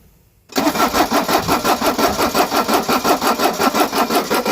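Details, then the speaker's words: Mercedes 240D diesel that sat for years, cold at about the mid-40s °F, with fresh oil and a drained tank; the glow plug box doesn't click, and it cranks evenly at about three beats a second but won't fire; the primer pump is also suspected. "See if I can hear the glow plug box click. Alright, turn the key on. Yeah, we don't have glow plugs. Alright, go ahead, crank."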